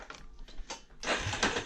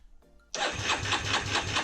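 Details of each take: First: Yamaha Raptor 350 that won't run: uneven ratcheting and scraping on each pull, rope catching and dragging; recoil starter binding, owner hopes new starter clutch fixes it, unconfirmed. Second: 2006 Yamaha Raptor 350 single-cylinder ATV after a new starter clutch was fitted, oil drained: starter spins the engine over steadily at about five pulses a second, no jamming, grinding or binding; normal starter cranking.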